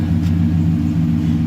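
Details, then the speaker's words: 1990 Chevrolet K1500 Silverado, 5.7L 350 V8 TBI, automatic, in-cab idle after repair: smooth even low rumble, no ticking or floor vibration; fuel lines touching floorpan near driver floorboard/firewall were the cause, now fixed. "noise is now gone no more ticking sound whatsoever"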